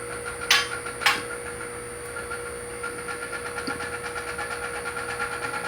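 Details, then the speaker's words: QuickJack 5000SLX lift raising after filling the reservoir with 2.1 quarts of hydraulic jack oil and opening the top valve a couple of turns; steady electric pump hum, two sharp clicks then lighter regular ticks as locks catch; normal. "Okay, let's see if these things work. You can hear the locks start to click into place."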